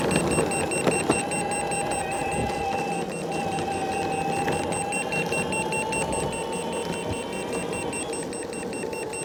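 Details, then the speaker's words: Boosted Board V2 electric skateboard at about 23–24 mph: the remote beeps rapidly, about twice a second, over wheel and wind noise, then power drops to eco mode. It started after shred lights were installed; motor cables and motors checked fine. Cause unknown. "when we get about 2 23 24 miles per hour the remote starts beeping like crazy and we lose power it drops down to eco mode"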